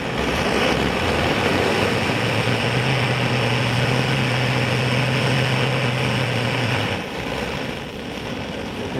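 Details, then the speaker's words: Clayton & Lambert blowtorch, about 100 years old, fuelled with Coleman fuel, running outdoors, lights right off; steady, even roar of pressurised flame easing slightly near the end, burning cleanly and normally. "Lights right off. You can hear it running."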